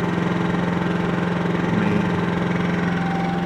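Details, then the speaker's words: Generator powering an RV air conditioner fitted with a Supco SPP6 hard start capacitor, running with only the fan on after running all night: steady even drone, smooth low pulse, no misses or knocks; healthy. "it's currently running but I'll be shutting it off here in a second but I mean you can hear that's it running with the fan"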